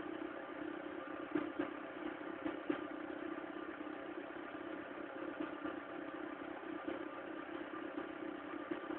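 Quiet cold idle with a light, irregular clatter over a steady hum; the cause of the noise is not clear.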